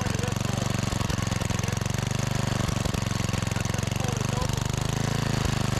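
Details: Discarded 5000 W Generac generator, run after drill-induced voltage: low, lumpy thump at a slow even beat never climbing to working speed; a part suspected in the wrong hole, not confirmed.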